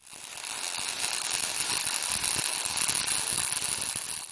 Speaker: the sound smooth steady. Like bacon frying or bee buzzing. That's what you're chasing.